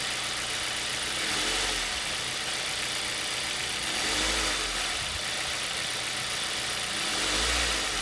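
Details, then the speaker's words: Ford Duratec HE petrol engine run briefly with accessory belt disconnected from crankshaft pulley, after belt, idler and tensioner replacement about 1,000 km earlier: runs evenly with gentle revs, knock gone, pointing to belt/pulleys rather than engine internals. "and as you can hear that knock of mine has disappeared completely and the engine runs perfectly smoothly"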